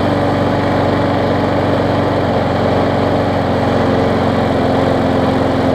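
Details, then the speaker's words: Bolens trade-in mower with Quantum engine, run with air filter fitted: steady speed with a rough, heavy shaking drone; vibrating badly, pointing to a bent blade. "well yeah oh yeah it's vibrating like crazy there but that's more that ran earlier so that's that's a good thing"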